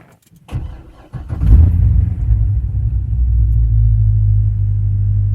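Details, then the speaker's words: 2006 Chevrolet Corvette C6 Z06 V8 hot restart after driving, oil temperature 167, idle oil pressure 28: quick crank, catches and flares, settles into a deep steady even idle as cooling fans spool down; healthy. "So here's your hot start. You can see oil temperature 167, idle oil pressure is 28. Hear the fans spool down."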